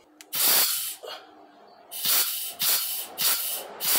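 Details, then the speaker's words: 01P/01M automatic transmission on the bench, K2 clutch port air pressure test: repeated sharp air hisses, each with a faint dull clunk as the clutch applies properly, with air leaking past the port seal held by hand. "i can hear the clunk there but i can also hear the the air leaking there so you got to be aware of that i just can't push it up hard enough right so the k2 appears to be okay"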